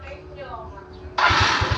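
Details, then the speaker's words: Yamaha Mio Smile scooter that would not pull past about 40 km/h, after carburetor air screw set to 3 turns: quiet, then it catches instantly without the earlier hard starting and settles into an even, steady putter; normal start and idle. "nah dia langsung nyala ya tidak kesusahan seperti yang sebelumnya tadi"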